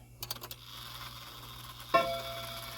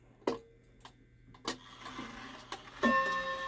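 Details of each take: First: Shanghai 555 mechanical clock during repair, before adjustment: a few light ticks, then a chime strike that clacks and buzzes with a short dead ring; the chime hammers are out of adjustment and need the hammer adjustment tool. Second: Shanghai 555 clock after chime adjusted upright and movement mounting padded with sawdust; clear even bell strikes over quiet ticking: normal hour strike.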